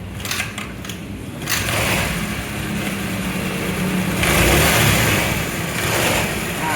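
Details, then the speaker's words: Honda Vario 110 scooter with lost ignition, traced to a faulty regulator/rectifier (kiprok): engine fires and keeps running with steady revs and light blips, no misfire or stumble. "ternyata ini motornya nyala sip"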